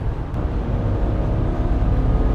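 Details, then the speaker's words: 2008 BMW E90 335i, N54 twin-turbo, automatic, after a cooling system overhaul and two new wastegate solenoids: deep, smooth drone under a highway pull, no stumble or misfire, no faults. It is building strong boost and shifting cleanly. "That was a really nice pull. Clean, shifted good, strong power, building plenty of boost."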